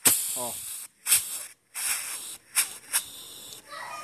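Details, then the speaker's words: Firing valve on a 150 pre-cylinder, compressor pumping air through it: sharp bursts of high-pitched hiss separated by quiet gaps, small leak; air escaping past the valve seat. "O motor manda o ar pra bomba lá e já vem pra cá, ó. Tá vazando um pouquinho, tá vendo, galera, ó?"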